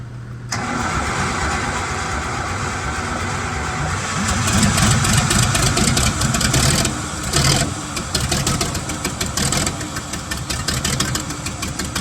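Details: 1975 White 2-150 tractor, diesel, first run after about 19 years dormant, before a muffler was fitted: loud, raw, fairly steady clatter; the engine fires and keeps running.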